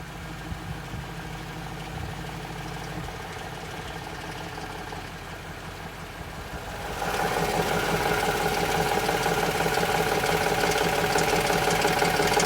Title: Tundra engine knock and tick